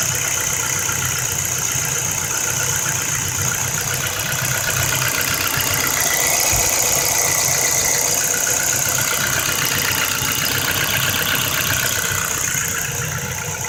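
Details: 2008 Ford Focus 1.6 automatic, 110,000 km, at idle: fast, light, regular tapping from inside the engine over a fairly steady run; engine knock, most likely piston pins, fixable only by overhaul (pistons and pins, possibly boring).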